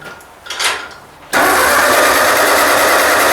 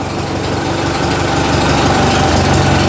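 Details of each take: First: Ford 2N tractor: steady, fast churning crank that never catches; spark confirmed at the plug and fuel dripping from the carburetor, owner suspects it is flooded (easy to flood); cranks but will not start. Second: Ford 2N tractor finally running after earlier no-fire trouble: even idle at about four firing pulses per second, no knock or tapping. Charging well, oil pressure about 20, healthy.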